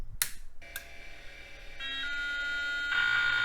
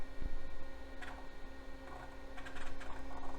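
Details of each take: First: Vintage MFM hard drive in an old computer at power-up. A harsh rhythmic buzzing grind repeats about three times a second over a steady whine, and the drive won't spin up properly: failed hard drive. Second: yeah the hard drive works awesome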